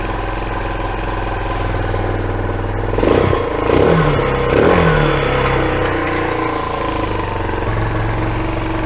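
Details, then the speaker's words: Kawasaki Bayou 220 ATV, bought non-running, with 92-octane 50:1 two-stroke mix poured down the fuel line, choke on: single-cylinder engine idling fast, picking up cleanly on throttle blips, firing evenly; normal running on choke. "let's try and fire this thing up see what it does choke on oh that sounds good"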